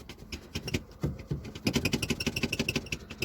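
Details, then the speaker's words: 2016 Lada XRay driver's door glass rattles loosely in its regulator over bumps and light off-road driving, with tinny clatter in quick bursts about three a second; the door also has a squeaky handle. "ну больше всего раздражает это окно на кочках вот можно слышать как она спад на то что она болтается вот вот так вот она делает"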